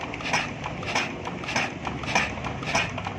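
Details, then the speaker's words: Chinese JD 8 hp diesel generator with a starting problem. The injector nozzle, previously jammed, was refitted and pressure-tested; sharp chatter bursts about every 0.6 seconds while turning it over show it is spraying diesel properly again. "ये देखें आपको आवाज़ आ रही है। ये इस तरह आवाज़ करेगी। ये देखें अभी नोज़ल जाम थी पहले, अभी इसने डीजल लगाना शुरू कर दिया है।"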